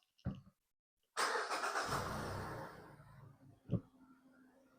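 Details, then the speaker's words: 2021 Mazda CX-5 2.5L, previously crank-no-start after a DIY spark plug and coil replacement flooded the cylinders; a quick crank catches into a smooth, steady idle with no stumble and no codes; normal start and idle. "Okay, so it's been running for about 5 seconds, and just seems normal. No check engine light on, only our tire pressure light is on, but we're not worried about that right now."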